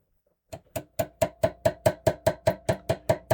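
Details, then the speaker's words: Mid-1960s Zenith Allegro stereo changer with the volume turned up: sharp, regular ringing ticks about two per second reach the cartridge through the tone arm. The owner suspects the cartridge suspension is hardening; not confirmed. "and you can hear I think that's a little more uh acoustical or mechanical transmission of the um noise that you're putting on the tone arm back to the cartridge. It should be more isolated than that and it isn't."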